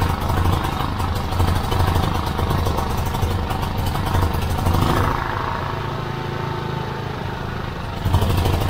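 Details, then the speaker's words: Petrol generator that ran rough and died, tested with air filter removed: small single-cylinder engine runs steady with an even low thump, no hunting or stumbling; cause was the fine paper air filter clogged, probably by oil blow-by from the valve cover breather. "clogged air filter um i'm guessing that's probably from the blow by from the valve cover breather which has saturated this filter and um it just made it so the air can't get through"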